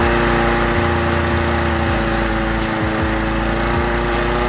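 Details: Honda HR17 single-cylinder lawn mower that had starting problems on recommissioning, fuel supply checked; settles into a steady even idle without misses or hunting; normal idle.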